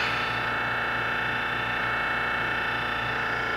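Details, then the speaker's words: Giddings & Lewis Winslowmatic model HC drill point grinder, 1996, wired 460 V, 12-inch wheel, starting a cycle that rotates the drill against the wheel with infeed: steady, even motor hum at constant pitch, no knocks; runs normally. "start the cycle it would be rotating your drill against the wheel and then this is the infeed"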